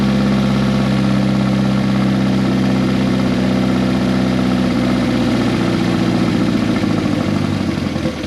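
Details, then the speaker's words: Turbocharged project car first started after almost 10 years, with open straight header exhaust, 1000cc injectors and no mass airflow sensor fitted: loud idle holds high, then the firing rhythm wavers and falls toward stalling. Owner suspects the missing MAF sensor; unconfirmed. "so that might be why it's not idling but anytime you started it it would start up it would rev up and it would hold idle for a little while like up in the high RPMs"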